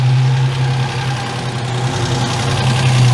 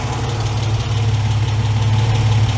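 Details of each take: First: Ford Capri Mk1 3.0 GXL Essex V6 after 8 years sitting, idling after throttle pumps; steady low idle that sags toward stalling once the extra fuel is used up; lean idle because a carburettor air leak lets in air while the closed throttle pulls vacuum. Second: Ford Capri Mk1 3.0 GXL, Essex V6, manual, carburettor, after 8 years sitting, first run, choke just pushed off, not yet warm; deep steady idle with no knocks or misses, slight splutter that may clear as it warms; runs nicely.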